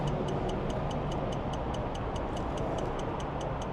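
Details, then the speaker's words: 2006 Ram 3500 diesel, key on, engine not running, after dead batteries: sharp even ticks about four a second, seemingly from up top; grid heater and injector harness unplugged didn't stop it; electric fan clutch suspected, unconfirmed. "What the heck is that? I have no clue. It sounds like it's right up here."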